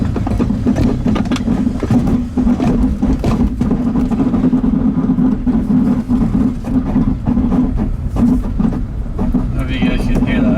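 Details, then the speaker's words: 1999 BMW E46 328i rolling slowly in a parking lot, possibly out of gear: irregular heavy clunks and bangs over low engine drone, owner says it sounds like the driveshaft banging around. "sounds like a damn Drive shots banging around I don't know what the hell that is"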